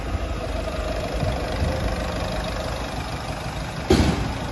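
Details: Ford Fiesta 1.4 TDCi diesel, 2006/2007, after engine rebuild for oil burning and smoke, before a short road test; steady even idle clatter with one short bump near the end; a healthy idle.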